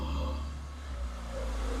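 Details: Peugeot 206 engine, freshly rebuilt, first start after refitting injectors with new seals, coil and plugs on a recharged battery: it fires and runs evenly, the low steady drone easing down into a smooth normal idle.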